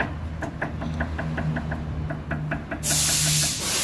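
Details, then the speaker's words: Hyundai ix35 2016, sway bar end link rocked by hand to simulate driving: quick light metallic knocks, about six a second, from a worn, loose link. The noise is often mistaken for a bad shock absorber. "Eu sou até a parte de cima dela para vocês verem um barulho que ela faça só um e você andando com o carro de fazer esse barulho"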